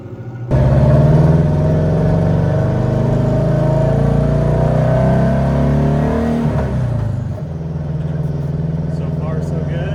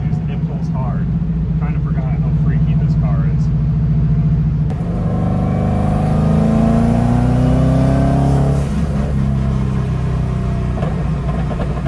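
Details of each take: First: 300hp WRX-swapped VW Beetle, donor engine about 120,000 miles, test drive after new spark plugs: revs climb strongly then turn ragged and fall off as boost builds; breakup traced to clogged fuel filter, not coils. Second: 300hp Subaru WRX-engine-swapped VW Beetle, at operating temp after fuel filter replacement, on road: engine drone climbing smoothly, hitting 17 psi boost, no stumble or hesitation; healthy acceleration under boost, fixed.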